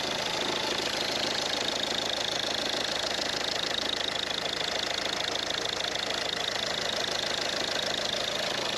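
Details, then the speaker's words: Ford Mondeo diesel after a leak-off pipe leak and clip repair, first sounding very fast with apparently no compression: now a steady, even diesel clatter at idle with no misses or hunting, sounding much better; normal idle. "She sounds better now."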